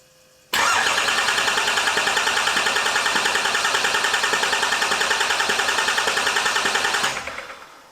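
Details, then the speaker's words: Cummins 5.9 L turbo diesel (from 2006 Dodge Ram 2500) swapped into 2008 Ford F-450, first start attempt: starter cranks steadily about three and a half beats a second but it won't catch; owner suspects fuel, later suspects the SKIM/ECM. "Could just be a fuel situation. Come on, baby."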